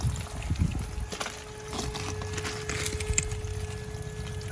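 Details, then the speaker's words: A garden hose left running outside the bathroom wall made a loud noise inside the home that the customer thought was the toilet. Rushing water carries a faint steady hum. Shutting the hose off stopped it: the hose vacuum breaker's diaphragm had failed and needs replacing. "let's turn this off if the sound goes away bingo problem found let me show you what it is this thing has a little vacuum breaker on here right here the little diaphragm in here has gone bad so this needs to come out"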